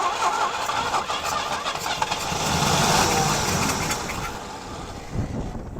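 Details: 1980 Pontiac Firebird 301 V8, sitting 17 years, with new plugs and wires and the battery charger on high-amperage boost: cranking catches into an uneven, lumpy run slowly settling toward rough idle; exhaust possibly plugged.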